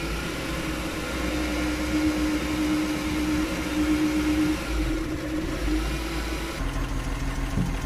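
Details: Suzuki F6 small engine with hard starting: idles unevenly, beat stumbling and wavering instead of holding steady; rough running, possibly a misfire.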